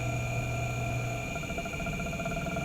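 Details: Generator drive motor running a small magnet rotor at 16 volts and 0.25 amps: smooth, even hum with a steady tone and no knocks or wobble; motor coasting healthily at constant speed.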